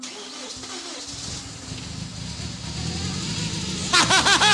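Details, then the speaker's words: BMW E36 with N54 twin-turbo engine swap, first start with throttle held: stumbling crank, then lumpy, uneven running; timing adjustment suspected. "We gotta do a little adjustment, but it runs. It runs. Timing adjustment, it sounds like."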